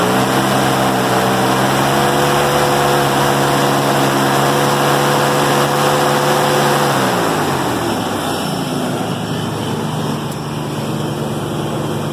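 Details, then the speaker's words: 1996 Ford Bronco after repair of buzzing under acceleration, owner attributes it to fan clutch: smooth, even idle now at 1000 rpm, previously under 1000, no buzz or rattle, then revs drop and settle lower; runs fine. "okay so I just finished fixing my truck it runs good now it idle it idles at at 1000 rpms now"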